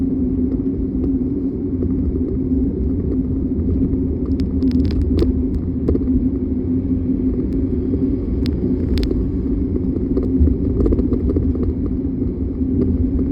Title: 2025 Mercedes-Benz Sprinter W907 419 4x4 rattling noise front suspension driver side